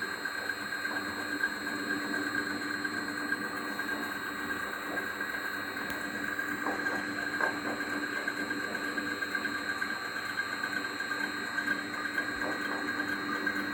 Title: Pulley noise after belt adjustment